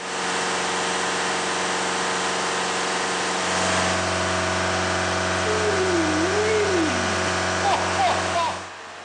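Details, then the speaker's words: 2012–2014 Ford Mondeo mk4 diesel during a scanner-forced DPF regeneration: diesel idles steadily, then the note shifts and firms up as fueling changes; normal regeneration. "when these cars are doing a region I don't know about other cars but on the Mondeo you'll hear the engine note keep changing as the fueling keeps changing to carry out this region"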